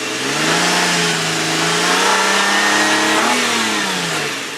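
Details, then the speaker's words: 2004 Nissan Quest parts vehicle with a light front-end hit, no damage near the engine. Revved under load, smooth rising rev with an even, clean tone, no knocks or rattles; healthy engine under load. "Sounds really good. Whoever buys this motor is going to be very happy."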